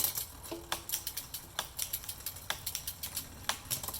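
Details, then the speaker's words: Bike with SRAM AXS mechanical 2x12 conversion using Ratio Technology 12-speed internals, WiFli rear derailleur, 36-tooth front and 10-36 cassette: light chain ticking with crisp single clicks, no grinding or skipping; shifting cleanly. "all right going through nicely now"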